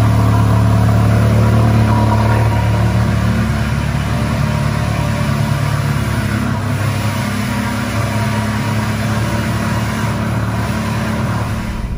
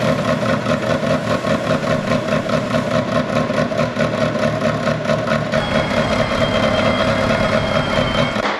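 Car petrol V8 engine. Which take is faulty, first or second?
second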